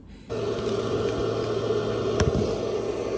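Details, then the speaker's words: Toyota Prius V: inverter left on after the car was shut down, steady fairly loud hum with a low buzz underneath, louder because the battery ran low; inverter noise from low battery. "And that's why it was making such a louder noise, the inverter."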